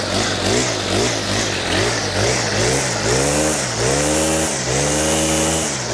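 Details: Stihl FS100 4-Mix brushcutter after service (new fuel filter, air filter and spark plug, valves and throttle cable adjusted), on fresh 50:1 fuel with Stihl HP Super oil: revs up and drops back cleanly about once a second with no stumbling. Running normally.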